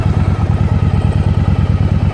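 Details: 1992 Yamaha XV750 V-twin idling after throttle cable replacement: steady, even low thumping with a regular beat, no hunting or stumble; turning the handlebar causes no change in engine sound, so the throttle returns properly and the idle is normal.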